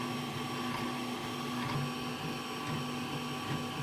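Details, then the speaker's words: A Zortrax M200 3D printer with about 3505 print hours, printing a raft, gives motor whine and fan noise with an uneven buzzing rattle that continues as the head moves. The owner suspects internal bearings; print quality is unaffected. "So now you can kind of hear that rattling noise consistently. I mean, I think maybe it's these bearings inside here."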